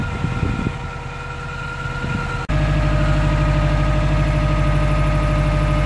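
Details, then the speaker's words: 2012 Subaru WRX at about 90,000 miles, driving warmed up in winter: a steady, even engine drone with no squeal from the clutch. The owner suspects the throwout bearing for a screech on cold starts that fades after a minute or two; here it is quiet. "So I'm driving right now and there's no sound at all. Sound is gone, it's warmed up. It seems to only happen cold starts in the morning, or just in general when I first start the car."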